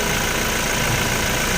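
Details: Toyota Fortuner diesel idling: smooth even idle, no whirring or droning from belt side; healthy.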